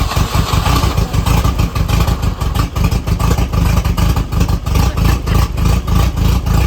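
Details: 1984 Volvo 244 GL revived from the woods, running on starting fluid with no fuel pressure yet: heavy low throb about three times a second, surging and uneven, engine barely running. Spark confirmed but the running is rough and uneven.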